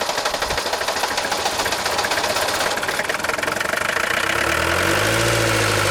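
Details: Known-good Mercedes diesel fitted with the glow plug relay box from a Mercedes 300TD with a glow-plug no-start: several seconds of cranking, then it catches and settles into a steady, even diesel idle with no misses.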